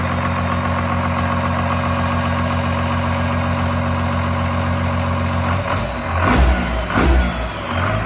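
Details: 1986 Ford F350 bullnose with a swapped-in 12V Cummins diesel, running after the swap: steady, deep clatter at idle with a couple of short blips near the end, smooth and even; healthy.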